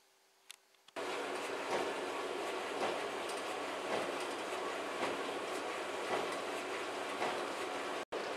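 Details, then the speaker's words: Tumble dryer running: soft thump about once a second, once per drum revolution, over the running hum, pointing to the drum mechanics; found to be a damaged drive belt, replaced. "Das Geräusch hört ihr jede Umdrehung der Trommel, also muss es irgendwie mit der Mechanik der Trommel zu tun haben."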